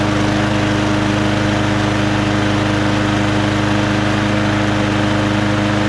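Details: Lawn-Boy Quantum magnesium-deck mower with black oil, started on choke; steady even buzz at constant pitch with no misses or knocks, running cleanly.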